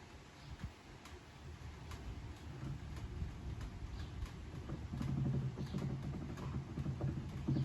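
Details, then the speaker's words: Samsung inverter washer after rewinding its DC motor: low motor hum and soft drum rumble with light tumbling knocks as the drum turns three times to weigh the laundry, then shows the time. Before the repair it only knocked and stopped. "ช่างน้ำหนักผ้า3รอบนะครับก็จะขึ้นมาเป็นตัวเลขบอกเวลานะครับ"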